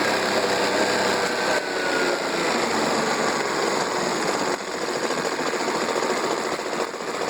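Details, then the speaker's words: Mercury 40 hp 4-stroke outboard, about 1999, sat a lot, always idled rough, warmed up, carbtune gauge on three carbs: uneven lumpy idle with busy clatter and irregular pulsing; carburettors badly out of sync before adjustment. "Okay, so as you can see, I don't know if you can hear me or not, the cylinders are off quite a bit."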